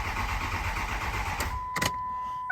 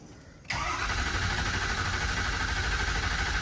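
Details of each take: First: 2006 Ford 6.0 Powerstroke diesel with a crank-no-start after two other shops replaced the IPR: the starter churns for about a second and a half and the engine never catches, followed by dash chimes; a high-pressure oil leak is suspected. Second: 2006 Ford 6.0 Powerstroke diesel after crank-no-start repair (standpipes, dummy plugs, injector) with new batteries: diesel catches instantly and settles into a steady, even idle clatter; starts and runs fine.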